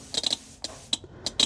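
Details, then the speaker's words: Ford Transit glow plug relay tested with multimeter, power applied to control side: crisp dry clicks with no buzzing or chatter, relay switching properly. "So that click shows that the relay is working."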